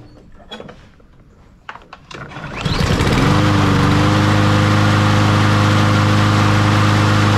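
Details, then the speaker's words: Troy-Bilt (MTD) push mower after a carburetor replacement and fresh fuel: it catches and settles into a steady, even drone with no stumbling. Normal running. "so that one's uh good to go nothing else going on there needed a new carburetor"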